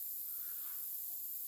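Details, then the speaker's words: Wheel off a 2011 Ford Explorer with a flat tire, inflated to find the leak: steady, sharp hiss of escaping air at one spot, confirmed by soap bubbles; puncture leak, repaired with reamer and plug. "see i hear it here it is right there i'll bring you a little closer i don't know if you can hear that but something tells me it's right there"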